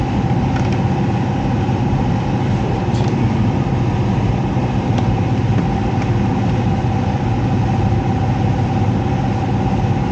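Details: Heat pump air handler with electric heat, owner reports loud noises: heavy, steady low rumble with no clean rhythm from the running blower; fan wheel found damaged and can't be removed without full teardown.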